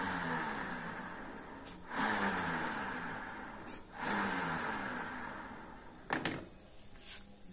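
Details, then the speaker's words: Honda Vario 125 LED New scooter CVT after repair: hand-spun rear wheel whirrs smoothly and quietly, no grinding; the harsh grinding that rose with speed came from the rear pulley bearing, now fixed. "jadi suaranya udah hilang ya jadi penyakitnya itu ada di bearing ini"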